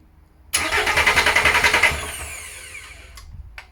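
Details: VW LT35 laid up four years, with a new starter motor and an oil filter leak fixed, cranked while trying to get fuel through: steady compression pulses about three a second, never catches. No-start from air in the diesel fuel system.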